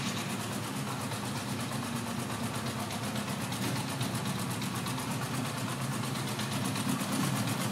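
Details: Honda CB900 Bol d'Or four-cylinder idling; fast, uneven light ticking over a steady low rumble, source unclear: abnormal engine noise.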